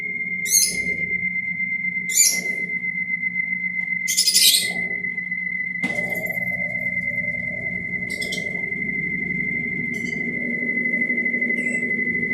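A steady high whistle holds the same pitch throughout the spin, with chirps over it; some spinning part is whistling, cause unclear.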